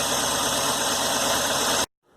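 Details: Fuel-injection engine cranking, stethoscope on the injector body only: quick even ticking under hiss until it cuts off; injector clicking and operating normally.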